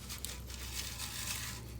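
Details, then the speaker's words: Gas tank from a 1940 Gravely Model L tractor, flaky inside, with brazing and a failed earlier repair on the end, shaken by hand: gritty loose rattle and crunch of rust debris; the junk plugged the fuel after about 30 seconds of running. "if i give it a little shake see if anything comes out or you can hear it whoa this the whole tank is full of junk like that"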